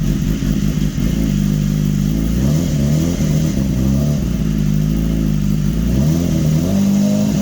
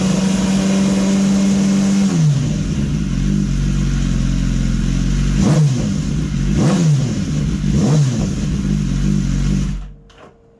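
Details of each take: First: 2015 BMW S1000RR, first start after an engine swap, intake cleaner foam still clearing, needed throttle to catch: engine runs ragged with revs surging and dipping unevenly, smoky; rough first start while the cleaner burns off, no system warning light. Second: 2015 BMW S1000RR with an engine swapped in from a crashed bike, motor warm, running to clear carbon buildup and race fuel left sitting about two weeks. Smooth hum, then clean, quick revs with sharp stops, no misfire or knock: healthy.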